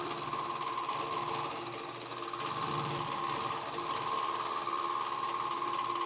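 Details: Milling machine cutting a slot while building NT30/ISO30 arbor for 50mm face mill: thin high ringing squeal over spindle hum with fast rattling buzz, cutter chatter; owner suspects dull cutter or quill bearings.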